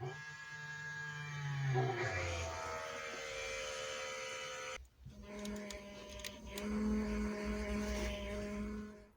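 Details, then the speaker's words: Volvo 745 wagon, B230F engine, reviving after fuel tank cleaning and sender fit: starter spins the engine steadily for several seconds without firing, because the fuel pump fuses (1 and 11) were removed, so pumps unpowered. Crank, no start. "it's got no fuel pump fuses in it what an idiot"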